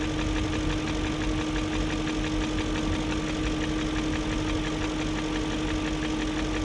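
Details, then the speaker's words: 2001 BMW E38 740i Sport V8 at steady idle: faint even ticking above the rumble with a constant whine, still present after timing chain guide, tensioner and VANOS distributor gasket replacement; no codes; owner suspects VANOS unit, unconfirmed. "i don't know i guess it's just going to have a tick unless the vanoss unit's gone out"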